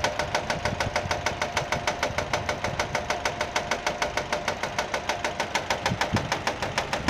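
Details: Nissan engine at steady idle with sharp, evenly spaced slaps about twice a second; the engine itself is fine, and the noise comes from a fraying alternator belt striking the metal bodywork as it turns.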